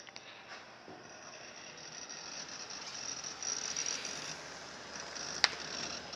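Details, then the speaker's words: IDE hard drive with Windows 98, stored 20 years in harsh conditions, booting in a DDR2-era PC: quiet, irregular crunchy seek ticking over faint hiss, its normal operation; normal hard drive seek noise. "слышно жесткий диск имеет такой своеобразный хруст и это его норма работы"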